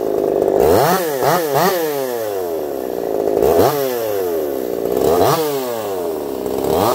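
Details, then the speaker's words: Echo CS-4910 chainsaw with taper-top piston/crank swap, test cuts: revs climb and fall cleanly with each cut, no misfire, stutter or rattle; zero vibration felt; runs a little warm, about 180 psi cold, 170 warm; healthy under cutting load. "I'll be curious to see what you guys think of that one. I don't even think it sounds like a chainsaw."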